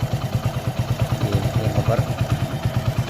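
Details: Hero Splendor Plus idling after engine rebuild, tappets already set: sharp, even ticking about three per second persisted; fixed by fully loosening and retightening the 8 mm bolt that wasn't seating, tappet tick from loose adjuster bolt.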